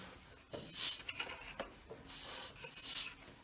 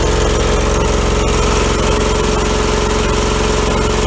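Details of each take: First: Allmand TLB-25 backhoe lawnmower engine, crank rocked by hand: sharp airy hisses of compression blowing out just below the head, a blown head gasket. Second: 2000 Allmand TLB-25 mini backhoe, 25 hp Kohler twin-cylinder gas engine, after head gasket replacement and electric fuel pump added, driving the driveway packing snow; loud, steady, even throb, no knocks or misses; normal engine running.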